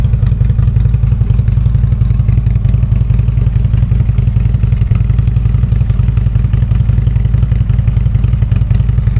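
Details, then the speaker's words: Harley-Davidson V-twin cold start after sitting several days, before breather install: deep loping beat about 220 pulses a minute, steady and even, no knocks or rattles; healthy idle. "I know this is a cold start. Bike's been setting up for several days because it's been raining so much."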